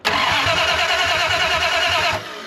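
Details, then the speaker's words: 1974 Dodge W100 Power Wagon, parked 41 years, first start with open headers and a new ignition computer: a steady crank for about two seconds, firing only as the key is released; ignition switch suspected, possibly the new computer, unconfirmed. "It fired as soon as you cut the key off. The coil must be going bad. It's or I mean not the coil, but the ignition switch because it fires when you let it off."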